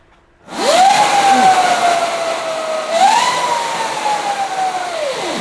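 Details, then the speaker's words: Electric Yamaha Mio scooter conversion, rear wheel spinning free on stand: loud steady whine around 700-900 Hz rising and falling with throttle; owner suspects dry chain, plans to lubricate. "Suaranya tuh mendesing banget. Mungkin karena rantainya kering gitu, Guys."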